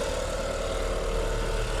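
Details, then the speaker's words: Haval/Great Wall Hover with timing belt that had jumped 4 teeth, first start after reinstalling belt and setting timing marks, accessory belts off; smooth even idle with no knocking, valves not bent, engine now quiet. "Ну все, шепчет. Идеально."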